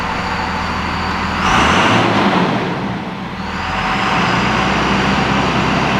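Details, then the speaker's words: 2nd Gen Dodge Cummins 24-valve diesel, just after installing an S&B air filter; steady low diesel clatter at idle, even beat, no knocks or misses; healthy idle. "Let's get this thing started. See if we can't hear anything different."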